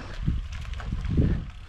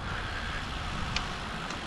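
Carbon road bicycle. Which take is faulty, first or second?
second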